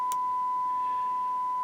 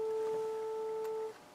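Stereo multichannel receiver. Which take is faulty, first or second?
second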